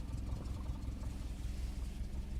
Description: I hear this type of sound whenever i press the clutch pedal and engine is under 950RPM .